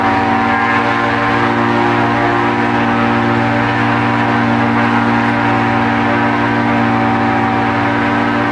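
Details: Aircraft engine just rebuilt with a new cylinder 3 piston and rings gives a loud, steady single-pitch drone with no audible misfire and runs poorly at full throttle. Cylinder 3 compresses 110 psi against 120 in the others, and the owner suspects leakage past the reused sleeve, unconfirmed.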